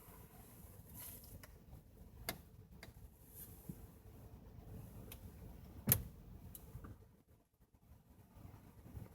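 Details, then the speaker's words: 2010 Toyota Corolla Matrix, repaired after a sideswipe accident, turned hard while at a standstill. Creaking and popping sounds occur at both ends of the turn, from both sides. The owner also reports a click when accelerating from a stop; no leaks or obvious damage were seen. "here it's almost like a popping sound and it can be controlled with how far you turn the wheel just right as you hit the end of either turn"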